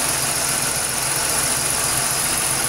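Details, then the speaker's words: 2006 Pontiac Grand Prix after engine swap and exhaust leak fix, burning off oil and RTV: steady even quiet idle with no ticking or exhaust puffing; normal idle. "really quiet it's been burning off the oil and burning in that RTV it's running great"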